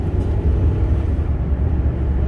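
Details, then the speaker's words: 2005 Dodge Ram 1500 crew cab 4.7 V8, which wouldn't rev over 2000 rpm for 7 years and 70,000 miles, on road test after repair: deep steady drone under load, no stumble or cut-out, pulling evenly; accelerates normally now. "She accelerates normally now."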